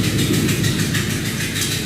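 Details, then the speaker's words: 2008 Dodge Durango: loud, rough droning chuff with a steady pulsing beat once shifted into drive, described as "tractor mode"; truck also has a loud manifold leak, loose outer tie rod and worn ball joints; source of this noise not confirmed. "when you put it in drive it engages tractor mode"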